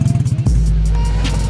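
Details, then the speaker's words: Chevy Cobalt: quick starter chugs, then a very loud, deep blatting idle roar from an exhaust leak where the downpipe flex pipe has broken. "broke from the the flex pipe broke so eventually we will do something because that is not good thing is super loud super super loud"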